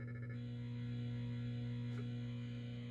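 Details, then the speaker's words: Stern Galaxy pinball with a swapped-in sound board, at startup: constant low electrical buzz with a pulsing hum under the startup tones; faulty sound board feeding noise to the speaker. "uh it's a different kind of buzz coming out of the speaker but let's hit the start button"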